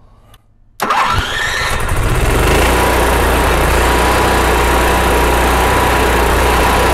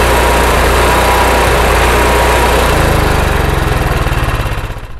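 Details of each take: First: RV generator after main jet and float bowl cleaning for surging, fuel pump primed: cranks briefly, catches and settles to steady even idle without surging; sounds better than before. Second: RV generator running without load: the small engine surges, speed rising and falling instead of holding steady, and worse under load. Hunting idle, suspected from carburetor jets blocked by evaporated fuel after months unused.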